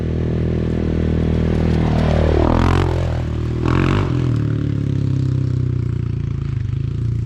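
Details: Big Gun exhaust, overdue for repacking and recently very loud, now repacked with the silencer core installed: a deep, even, subdued single-cylinder idle thump with a brief rev in the middle, noticeably quieter at idle, loud but healthy.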